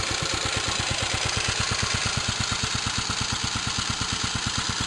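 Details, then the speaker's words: Warmed-up, restored 1946 J.A.P Model 5 single-cylinder engine at raised speed, set slightly fast so it slows to a good speed under pump load: a steady, even beat with crisp exhaust pops and no knocks. Normal. "She's warmed up now, so speed it up. Like I said, it was set to run just a little fast, so that once it's loaded, running a little pump or something, it just slows down to a good speed."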